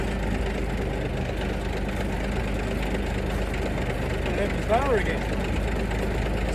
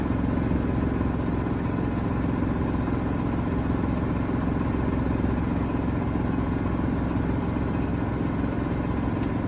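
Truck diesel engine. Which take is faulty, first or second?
second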